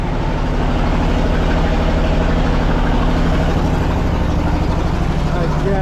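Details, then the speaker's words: Clark IT70 forklift engine, after carburetor and fuel-issue work and a dead battery: steady, quick, even idle over a firm low rumble with no misses, sitting noticeably above normal idle; idle to be adjusted later. "so uh come over here so you can hear me so it's obviously I've been a little high but I can adjust all that later but yeah it's running so that's that's really good"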